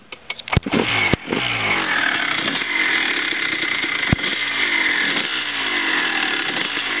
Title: 2001 CR250 Just after rebuild startup